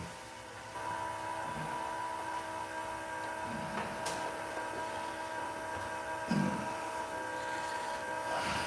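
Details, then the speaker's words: Oil change, key cycled after fitting a new fuel filter: steady electric hum with a faint whine near 1 kHz from the big lift pump. It is priming and filling the new filter normally. "I like to cycle the key, you know, a half a dozen times. You know, you can hear that we got that big lift pump going."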